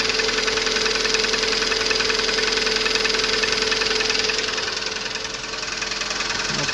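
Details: Lada Priora 2170 petrol engine at idle: steady, fairly even knock at about two to three beats a second. Hydraulic lifters were already replaced without effect. Owner suspects the camshaft rather than the pistons because the engine burns no oil. Unconfirmed.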